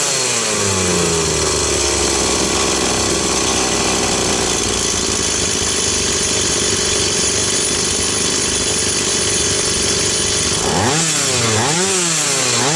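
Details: Stihl 180 chainsaw after piston and crankshaft seal replacement: two-stroke holds a steady high scream, then rises and falls cleanly on quick throttle blips; saw runs healthy, carburetor not yet cleaned.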